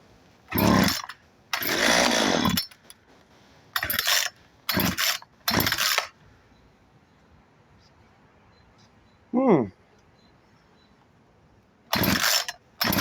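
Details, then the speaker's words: Craftsman 36cc, 16 in chainsaw that had pulled but wouldn't start, full tank. Short sharp revving bursts about a second long with gaps. It runs; the earlier no-start was possibly the switch not fully on. Normal running chainsaw. "oh well it does run I don't know what that's all about though maybe it wasn't all the way on"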